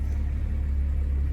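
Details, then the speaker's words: 2000 Jeep Cherokee Sport XJ after years of sitting, after fresh fuel, fuel additive and throttle body cleaning, check engine light still on: low, steady idle rumble with an even beat and no misses or knocks; idle now good, runs normally. "so yeah you can tell she runs good Idol's good now"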